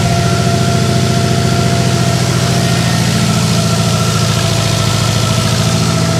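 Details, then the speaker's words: Freshly rebuilt Subaru WRX 2.5 turbo flat-four, oil-primed, first start: strong, even burble at steady idle, no knocks or ticks, oil pressure light off, no leaks, no missing; healthy. "Oh man, it sounds great. Any leaks down below here? Nothing that I can see. Feels smooth, doesn't feel like it's missing at all."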